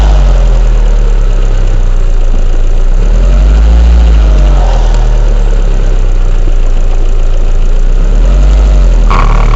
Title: weird noise